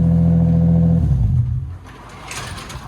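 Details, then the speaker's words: Lexus SC300 on its first cold start after the exhaust repair: deep, smooth exhaust drone for a second before shutdown, no rattles or leaks; sounds like a normal car again. Normal exhaust note. "It sounds like a normal car again. I'm happy. All right. That was good."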